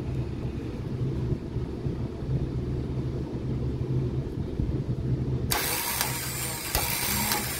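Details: Toyota Hilux D4D diesel after overhauling the starter motor, with its solenoid contact points cleaned and reshaped, to fix a click-no-start: low, steady diesel rumble, then a louder rise as it picks up, no starter clicking. Starts and runs normally.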